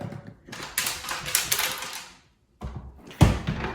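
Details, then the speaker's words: Zadro TWB01 towel warmer, barely used, dead when plugged in: shaking it gives bursts of light clattering rattles, a loose broken part inside, later found to be the top of blown capacitor EC3. "if there's something rattling around something blw and is now loose inside of this uh this electronic device"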